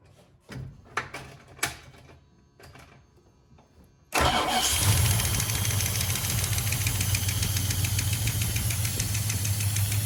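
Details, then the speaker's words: 1976 Dodge Dart 318 V8, run with the valve cover off: the engine catches and settles into a fast, busy valvetrain clatter over the idle, no better than before. A collapsed lifter is suspected, not confirmed; cam, lifters and valve springs may be next. "we're in poopy and the engine is still clacking away so i don't think we made anything better"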